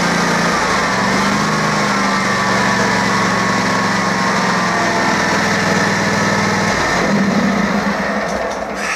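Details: Kawasaki 19hp twin-cylinder, three years old, on an older Wright Centaur mower, old gas, cold day: steady, fairly brisk beat sitting a little fast for idle; owner suspects throttle set slightly high, cause unconfirmed.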